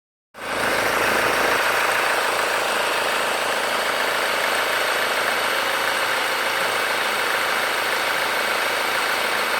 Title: Honda Accord 2.2 i-ctdi whining noise after changing chains